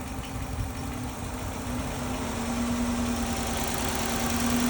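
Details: Dodge Charger 5.7 Hemi V8 idling with a faint, fairly regular tick about three per second over the engine note; live data shows no misfires, cause unclear.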